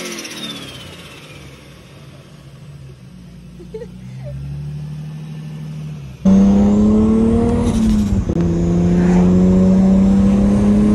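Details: Turbo six Datsun build after fixing pre-turbo exhaust leaks at the external wastegate flanges (cheap clamps replaced with genuine TiAL); pulls hard with a clean rising exhaust note, no leak puff; quicker spool, still somewhat laggy.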